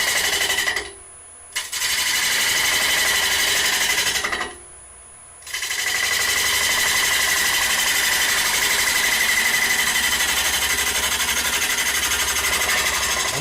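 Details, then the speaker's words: Wood lathe turning ogee bowl: chatter about four times a second as gouge alternately cuts wood and air on uneven rim. "can hear it cutting and not cutting"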